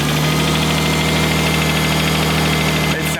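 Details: RB25DET swapped into a Nissan R33, holding operating temperature: loud steady even idle with constant low drone, no knocks or ticks; idling smoothly.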